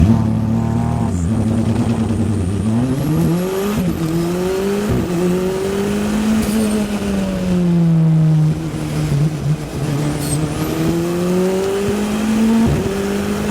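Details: Track car on a lap at Anglesey, after core plug water-leak repair: revs climb but note stutters and drops out under load in 3rd and 4th; chronic misfire, later resolved by engine rebuild, new plugs and coil packs.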